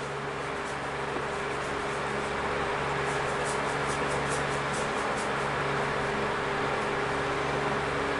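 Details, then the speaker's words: Vintage 1970s–80s Galaxy oscillating table fan with amber blades: a smooth, even whir with a low steady motor hum and no ticking or rubbing, with a cat audible in the background. Oscillation still works; normal fan running. "this fan spent most of its time in my bedroom on lower with the oscillating function on circulating air"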